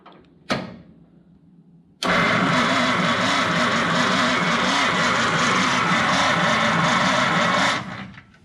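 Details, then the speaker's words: 1953 Packard, first crank attempt: click, then about six seconds of slow, labored, even cranking that never fires; it turns over and builds oil pressure (dash light on factory sender) but won't start. "as you can see it doesn't turn over very fast but it turns over which is awesome and it builds oil pressure which is awesome"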